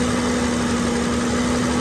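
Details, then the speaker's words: BMW with intermittent AC high-side pressure problem (cutting out over 400 psi), revs raised: steady rushing roar with constant hum as the engine-driven fan clutch locks up and moves lots of air; electric fan also spinning, seemingly a little slow. "we have a really fast fan right now the fan is really moving a lot of air"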